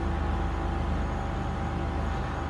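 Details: 2007 Chevy Impala LT 3.5 after water pump replacement, warming toward operating temperature (gauge reads high; coolant sensor suspected bad): steady low engine hum, even unchanging pulse, no knocks or rattles; smooth warm-up idle.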